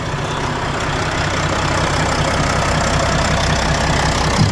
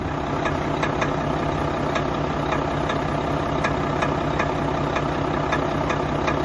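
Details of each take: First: Volvo FH4 diesel truck, about 100,000 km, that had an engine knock, after repair: steady, even idle with smooth low rumble, no knocking or ticking; the noise is gone. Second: Volvo FH4 truck with about 100,000 mileage, no fault codes and passing all tests, idling: sharp regular ticking knock about four times a second over a steady diesel idle; engine knock.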